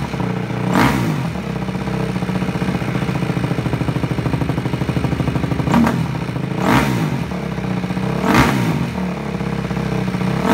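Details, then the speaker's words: Honda CRF250 dirt bike just reassembled, started without choke: low, even single-cylinder thump at slow idle with a few blips; runs smooth and healthy, ticking from the chain touching the rear axle, not the engine. "though really really happy that she's running again and running good and nice and smooth"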